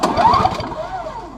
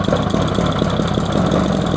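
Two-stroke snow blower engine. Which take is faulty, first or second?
first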